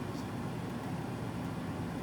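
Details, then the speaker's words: Mars Azure 10859 Bluetooth ECM blower motor newly installed in Carrier 58PHA-110-12120 furnace, set to 80% torque for 1,050 RPM, drawing about 7.5 amps: steady, even air rush with low hum, no ticking, rubbing or wobble; running smoothly. "Okay. That's pretty good. Harness sounds good. Amperage looks good at about 7.5 amps."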